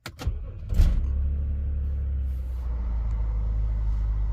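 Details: BMW X5 E70 after fixing rough idle and drivetrain malfunction warning by replacing VANOS solenoid and clearing fault codes; engine catches after brief crank and idles with steady, even low rumble, no stumbles or misses.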